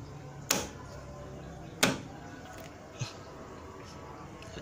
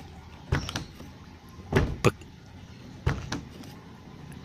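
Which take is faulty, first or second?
first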